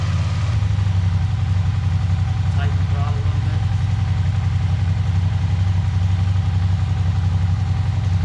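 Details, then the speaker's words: Long-sitting used Suzuki SV650 twin after a carburetor clean, throttle cables still loose. A steady, even low rumble at about 220 pulses a minute with no knocks or misses: a normal smooth idle. "we're gonna have to take the airbox back off and tighten down the throttle cables but hey she's running"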